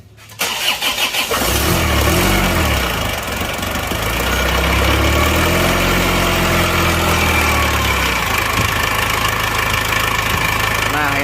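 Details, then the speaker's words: Penter 25 diesel after a broken crankshaft, injection pump regulating valve backed fully out: cranks, catches and idles slightly smoother but still rough, with a hard uneven knock each beat; pump to be shop-calibrated, over-adjusted pump suspected. "agak halus ya ini suaranya sekarang suaranya agak halus sedikit teman-teman tetapi menurut saya masih kasar suaranya ya kan suaranya masih kasar"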